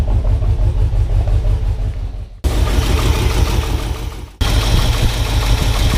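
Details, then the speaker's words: 1978 Ford F-150 with a 460 big-block V8 at idle: uneven loping with one cylinder dropping out and puffing in a stumbling rhythm. Bad misfire. "all right guys so as you heard in the uh when we were just running it a little bit ago we've got a miss"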